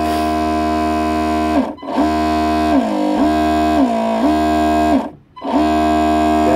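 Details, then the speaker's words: Proboat Horizon Harbor RC tug on a 3S 3200mAh Spektrum G2 battery after a universal joint fix and greasing: clean motor whine dipping and spooling back up, hollow chugging sound, no clicking or rattle; drivetrain healthy. "hear that hollow sound man that's that's one of the things that i love so much about this boat just sounds like it's chugging along when it's uh underway"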